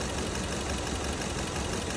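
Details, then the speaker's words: 2015 Kia Cerato at idle: rough, uneven idle with a lumpy low thump that never settles; scope shows the injector needle not returning, stuck open, causing misfire; injector to be removed and replaced. "هذا المكان اللي بخاف الابره ترجع مكانها فالظاهر الحين انه عندنا في بخاخ في مشكله فبفكر البخاخ وببدله"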